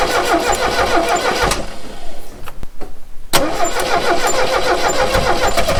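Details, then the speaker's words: 1969 Renault 16, not run in years, on rigged external fuel supply with starting fluid: starter churns rhythmically, pauses, cranks again, never catches; seems to fire on maybe one cylinder; no start. "It seems to be firing on maybe one cylinder. Wants to go. Well, that didn't work, did it?"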